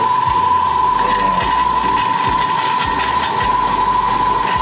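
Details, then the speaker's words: Ellis 1600 band saw, warmed up, worm-drive gearbox: steady high-pitched whine with buzzing metallic rattle from a loose sheet-metal panel vibrating; the rattle then stops, though the whole saw still vibrates. "still vibrates a lot yeah dude that's ridiculous this one sounds worse is that listen to that sounds like there's loose loose metal"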